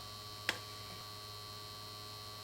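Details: 1953 Chevrolet Deluxe Two-Ten tube car radio, model 986668, vibrator supply running from 6 VDC while B+ stabilizes and plate voltages are checked: steady low buzzing hum with one sharp click, even and unchanging; normal vibrator power supply.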